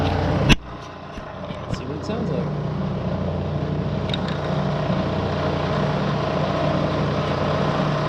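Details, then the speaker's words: 1970 Bridgeport milling machine, found dirty and abandoned, run on a rotary phase converter, head in low range at about 200 rpm: one sharp knock then a smooth, even low hum with no grinding or whine; spindle running normally. "it's not bitching at all"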